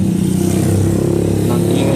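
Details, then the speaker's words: Honda Supremo 150 motorcycle engine, opened after suspected clutch lining noise, running with a rough, fast low clatter under a steady drone; cause found to be a worn, loose engine bearing. "Oh ang dahilanan ng ingay niya pre ito dito sa may makina yan yan na mo siya pre oh yan ito yung lalagyan ng ano it aan yan nilagay ni yan diyan alala ko ito y maingay pala yan itong bearing mga pre"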